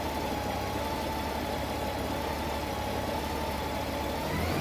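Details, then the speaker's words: 2012 Honda Goldwing warming up, temperature gauge near first mark before center, O2 sensor heaters on and sensors online: steady smooth idle, no stumble; back to normal idle after PAIR-related warm-up stumbling. "So I'm back to normal idle"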